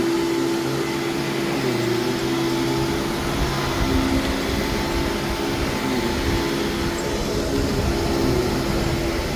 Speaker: least [Music] that was nice and quiet and when the base plate isn't beat to crap it does work really well